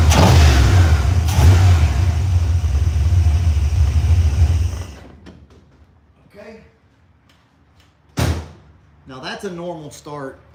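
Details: Engine catches immediately and settles into a strong steady idle, then shuts off; clean quick warm start with no hesitation, no visible leaks or drips.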